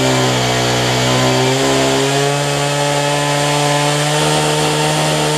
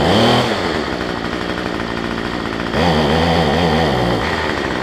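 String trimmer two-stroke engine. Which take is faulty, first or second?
second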